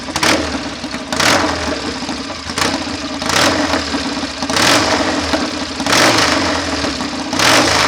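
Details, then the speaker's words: BSA A65 Hornet twin after replacing jets, swapping carburettors, plug leads and caps, and fitting new spark plugs: fast idle set higher than wanted, stumbling roughly every 1.5 seconds; right side still hesitates off tickover. "you just hear the occasional falter while it's ticking over I took a lot of work and effort to get it taking over this well"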